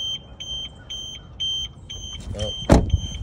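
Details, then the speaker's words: 2013 Audi A4, about 101,000 miles, front-end damage, no key; its anti-theft alarm triggered on opening the car, with repeating high-pitched electronic beeps about twice a second over outdoor background and a door thud. "didn't like me opening up that. That's your security alarm."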